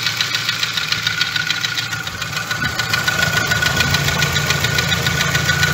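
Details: Jetta A3 2.0 that idles unstably and stalls at traffic lights, and earlier needed full throttle to start. Steady idle with a dry, rattly ticking at about three beats a second; runs rough, cause unconfirmed, compression and code checks pending: rough idle.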